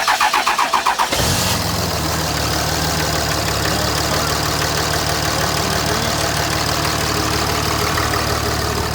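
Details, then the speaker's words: 2005 Dodge Ram 2500, 5.9 Cummins turbo diesel, 194,966 miles, stone cold at 34°F, grid heater warmed first: brief crank, then it catches right away and settles into an even cold idle with normal clatter. Healthy start. "Temperature is cold. Hasn't been started. The glow plugs are warming up. It's not glow plugs, actually. A heater plate is warming up, and she's gonna go ahead and start it."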